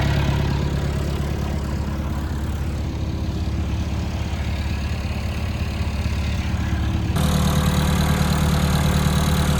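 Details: Old Caterpillar 416 Series II backhoe diesel, fired right up after battery connection tightened and charged: deep, even chug at idle with no knocks or misses, speed stepping up slightly near the end; normal diesel idle.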